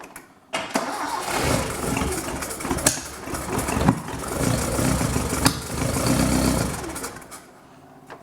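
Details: Sigma start-up after a custom welded exhaust, with coolant leaks already fixed and choke in use: it cranks briefly, catches and settles into a slightly uneven but steady run with no knocks or rattles; normal cold start.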